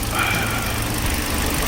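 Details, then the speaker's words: Hyundai LF Sonata with cylinder 4 misfire code and cold-start shake, after ignition plug/coil replacement and throttle body cleaning: steady even idle, no stumble; scope and scan data normal. "차 상태는 좋고 여러가지 스코프 데이터 스캔 데이터 정상적으로 나오고 있습니다"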